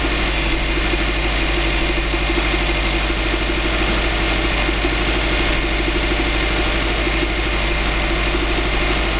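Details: 2005 Subaru Legacy GT flat-four, first start after a DIY engine rebuild, no leaks seen: steady, even idle with a low burble, no knocks or misses, settling smoothly after startup; normal idle.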